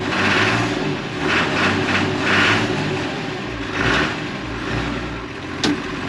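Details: John Deere 3350 tractor diesel after fitting a non-return valve to the lift pump line and bleeding air: settles into a steady run with a few clean revs rising and falling smoothly, no misfire or stumble; normal running.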